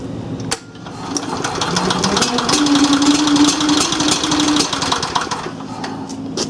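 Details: Onan 305 CCK apparently 3500 W yard-sale generator, first run after revival work with the muffler warming up: small engine putters unevenly at about three beats a second with a loping rough beat; cause unclear.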